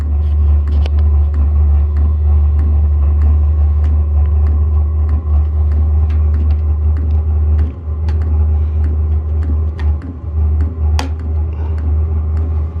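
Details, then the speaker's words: Hcalory 5-8 kW 12V diesel air heater on its first startup after fuel priming: a heavy, constant low rumble with scattered ticks and clicks, louder than expected; cause unclear and unsure whether normal. "Guess this can take a while. I don't know. This thing's making some noise."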